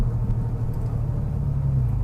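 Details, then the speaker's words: Porsche Boxster 986 flat-six idling after a yearly service with new oil and oil filter, fuel filter, air filter and NGK spark plugs: deep, steady, even idle rumble with no misses, knocks or ticks; running nice and sweet. "Anyway, as hopefully you can hear, it seems to be running nice and sweet, and test drive is the drive home."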